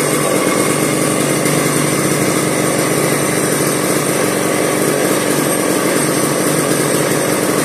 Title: will it start? 1990s McCullough pro Mac 700 ( sitting for 7 years)